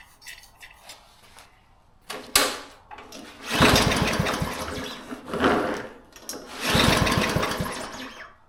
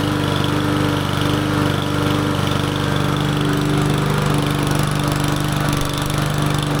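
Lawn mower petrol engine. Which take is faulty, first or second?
first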